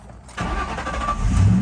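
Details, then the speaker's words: Ford Mustang crank-no-start with flashing security light, fixed by a new transceiver, new ignition and newly cut keys: quick crank, engine catches cleanly and settles into a steady low running note with no stumble; normal start. "starts so we had a bat transceiver we needed to cut new keys for this"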